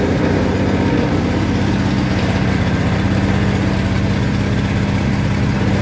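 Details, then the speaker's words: Massey Harris Pony with an 18hp Briggs opposed twin, with temporary wiring. An even, steady twin-cylinder putter with a low thrum, no misfires or hunting. Normal running; only small adjustments remain. "honestly i think it's pretty damn good i just had a few little adjustments still"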